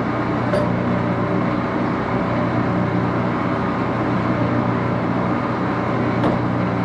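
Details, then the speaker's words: Axelson 14x30 heavy-duty gear-head lathe, headstock on AW68 hydraulic oil, run through its gears: loud, even gear hum with steady mid-pitched whine, no knocks or grinding; normal, just noisy. "it is a little bit of a noisy machine Let's Start It Up"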